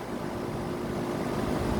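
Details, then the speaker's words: 2000 Tempstar central air conditioner outdoor unit with scroll compressor, unexpected startup with suction line still cold and sweaty; steady even low hum with airflow noise, no knocking or rattling. Normal healthy compressor startup. "Listen to that compressor though. It was a good sounding scroll, not gonna lie. This is a good unit right here."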